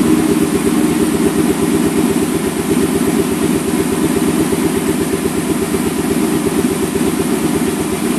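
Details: 2002 Ford Mustang GT V8 idling lumpy and uneven with a stumbling beat about three per second, dropping cylinders, right after timing chain, guides and tensioner replacement; cams possibly off a tooth or 180°, fan off, weak battery on charger.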